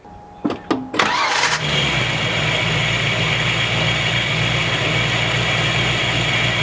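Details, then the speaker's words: 5.0 engine at idle before replacement, tensioner pulley with bad bearing: engine catches and settles to steady idle with constant high-pitched shushing whine; worn tensioner pulley bearing, identified by listening at the pulleys. "so this time we're going to be looking out for is a high-pitched shushing sound kind of like"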